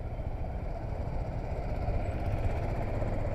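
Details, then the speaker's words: Bajaj Dominar 400 single-cylinder engine at start-up before a test ride: low, even thump settling into a steady idle, no knocks or rattles, said to sound like an inline twin; healthy normal idle. "Okay, so it has got inline 2 sound, which is pretty neat."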